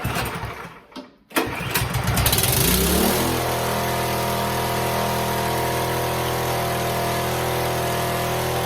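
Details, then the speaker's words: Snowblower engine just after coil replacement: sputters, catches and holds a steady high-speed drone; throttle not slowing the RPMs, owner suspects something pinched in the throttle. "It works. I think something with my throttle here is pinched because my throttle, if you noticed, it wasn't slowing down the RPMs at all."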